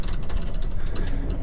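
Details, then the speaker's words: Utility cart rolling slowly on a trail: a rapid, uneven metallic clatter from the loose aluminum gate at the back; loose rear gate rattle. "Hear that clatter clatter. It's that aluminum gate in the back making that noise."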